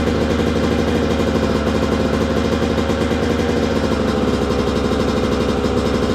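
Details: 2002 Yamaha YZ125 two-stroke dirt bike that sat a long time, first start after cleaning, choke on: crisp even buzz holding steady revs, no knocking or clatter; crank and top end sound healthy, normal running.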